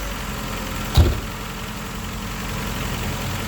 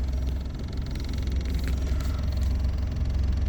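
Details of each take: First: 2001 Ford Escort ZX2 just after an oil change: steady idle with one early thump, then a faint light ticking like valve chatter; owner hopes it's only because fresh oil hasn't reached the top end yet. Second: 2001 Ford Escort ZX2 after an oil change, 30 miles later at night, parked with parking brake on: low, steady idle hum with even beat, no ticks, knocks or stumbles; engine staying cool, runs smoothly.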